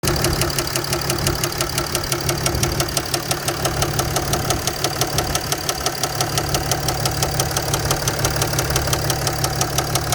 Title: Mercedes ML350 Bluetec Diesel engine knock noise